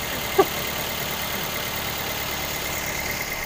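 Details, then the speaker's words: 2012 Toyota Avanza Veloz at idle just after starting, with an HCS-modified Pertamax Turbo vapor canister fitted; quiet, even idle with soft steady hum, no knocks or ticks; engine already smooth and pleasant-sounding; normal idle. "Karena memang dasarnya mesinnya udah halus ya, kedengarannya enak, halus, merdu."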